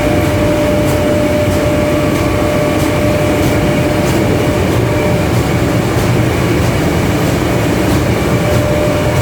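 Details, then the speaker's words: 3ES5K electric locomotive, blower fans running with doors closed: sharp knocks repeat about every half second over the fan roar, from a roof hatch over the transformer compartment left unsecured, flapping open and shut under internal pressure. "при включении вентиляторов закрытых дверях удары происходят что было значит машинисту хоть напугаться что такое такие удары идут что то ли ходовая или ту или где Что в движении не понять трансформаторное отделение забыли люк на крыше задрает и вот это давление внутреннее по нему короче хлопочет он открывается и закрыва"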